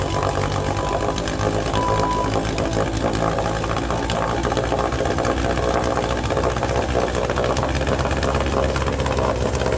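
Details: 1948 Sea King 5 HP outboard, first run and break-in after mechanical rebuild: steady, even two-stroke drone at constant speed with no misses or knocks; healthy running.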